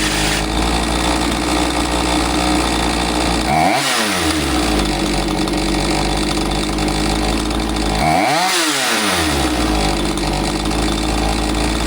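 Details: Husqvarna 543XP chainsaw, after correcting a bogging carb adjustment the owner had made. It holds a steady high buzz and blips up and back down twice cleanly, with no stumbling or surging. It is running properly.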